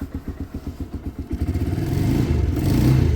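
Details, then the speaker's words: Single-cylinder bike briefly warming up after a cold choke start: even steady firing at idle, then smooth rev climb with no knocks or rattles; very smooth, healthy. "Such a great sounding bike, so smooth actually."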